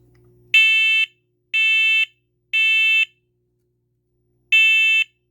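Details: New First Alert smoke and carbon monoxide voice and location alarm on test: loud high-pitched half-second beeps in groups of three with pauses; not ear-piercing, sounds like a car horn 'meep'; working normally.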